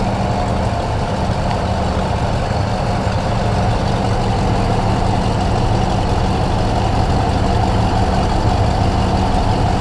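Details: Rebuilt 351 Windsor V8 in a truck, running after building oil pressure and installing distributor and plug wires, while timing is being set: smooth, even low rumble at steady idle, no stumbles, knocks or hunting; healthy.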